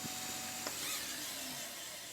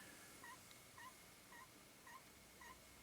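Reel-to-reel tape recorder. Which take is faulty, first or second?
second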